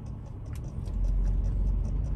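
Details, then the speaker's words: New Faria GPS speedometer gauge in Triumph 1700 skiff, towed by truck with engine and road rumble: light quick ticks several a second as the needle jumps in small increments; normal for this gauge. "so as you can hear it kind of jumping around there it just it definitely makes noise quite a bit noise actually and and jumps around in little increments"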